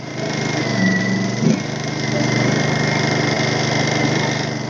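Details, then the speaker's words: Honda EU2000i generator that wouldn't start, after replacing the bad switch, on the ground: small engine hums at a steady even speed with no misses or surging; running healthy. "So it was the switch, because I couldn't start it before. Now I started"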